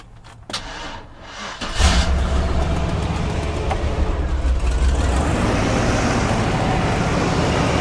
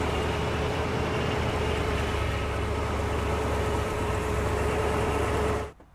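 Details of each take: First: Big V8 jump-started with a DeWalt DXAEPS14 power station after sitting unstarted for months. After a short crank it catches within two seconds on the second try and settles into a deep, steady, normal idle. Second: Vehicle unstarted for months, jump-started with a DeWalt DXAEPS14 power station on the second try: steady rumbling idle for several seconds, then the engine abruptly dies; stalls shortly after starting, cause not identified.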